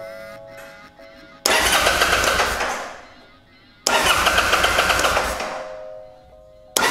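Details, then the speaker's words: Kawasaki Vulcan 800 Drifter (VN800E), spark tester on rear cylinder plug boot: two long bursts of steady starter cranking, never catching; tester not flashing, no spark, later traced to faulty ignitor. "all right she is not flashing"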